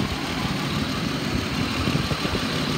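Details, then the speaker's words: 2010 Ford Explorer XLT 4x4 that overheated per shop notes, with a suspected bad alternator, check engine light on and no revving past 3000 rpm: rough, uneven stumbling idle with no knock or rattle, a steady misfire since startup. "this one has a steady misfire shop notes say that it overheated they took it out of service we started it up it's had this bad misfire since the minute we started it"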